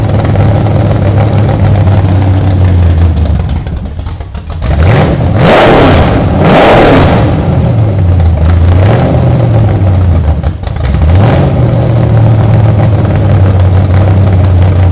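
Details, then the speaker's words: Freshly built 1968 Camaro Z/28 302 V8 with 30-30 Nostalgia Plus camshaft on open headers without mufflers: revs cleanly and settles back to a lumpy idle, no knocks or rattles; normal running. "I do have muffs off now open headers for this video but typically if I'm running an engine to break it in I put muffers on it so it doesn't get make any more noise than an ordinary car so so Tony's engine we're going to fire it up and see how it sounds"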